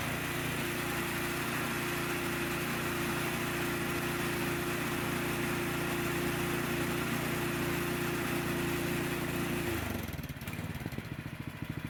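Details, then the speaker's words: Snowblower small engine after cleaning the carburetor pilot jet, test run: runs steady then drops cleanly to a slow idle when throttle moved, no surging. "when the throttle is moved to the right the engine rpm should drop down to a nice slow idle if the engine does not idle down back out the idle stop screw a few turns"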